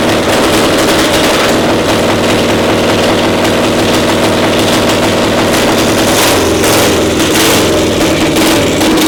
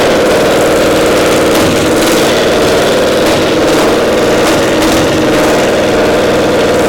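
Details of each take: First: Twin-cylinder pony (starting) motor of a Caterpillar Diesel 70 after the cap was replaced: loud, steady, even rapid firing with no misses or stumbles; running smoothly on both cylinders. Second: Twin-cylinder pony (starting) motor of a Caterpillar Diesel 70 under restoration: buzzy idle with irregular stumbles every second or so as one cylinder cuts in and out despite good blue spark; intermittent misfire traced to a faulty magneto cap.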